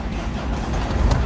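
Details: 2006 Ford Ranger Open Cab at 240,000 on the odometer, started for a sales review: deep, even diesel clatter with no misses or knocks, firing first try into a steady idle. Healthy cold start.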